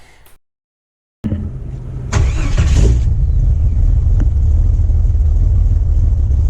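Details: Jeep Wrangler 4.2L six with Comp cam, start before the fix: cranks, catches and settles into a choppy uneven lope about three beats a second; ignition timing at 57 degrees floods it until it clears, not cam lope.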